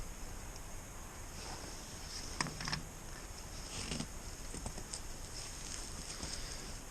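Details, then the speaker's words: Allis-Chalmers D17 tractor no-start: meter leads on the solenoid's battery and starter sides, key turned to start; a sharp click over a thin steady meter beep shows the starter solenoid switching normally and passing current to the starter. "okay so the solenoid's working i heard a click but i also heard the beep"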